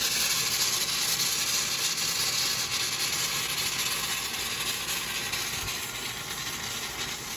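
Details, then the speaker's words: 1955 Buick Roadmaster nailhead V8 overheating after a drive, radiator cap off: steady loud hiss with rhythmic bubbling as coolant boils; owner suspects stuck thermostat; steam hiss from overheating. "I got a feeling the thermostat is stuck, but it's boiling the coolant, which is not fantastic. But I got the radiator cap off, so let some pressure off of it."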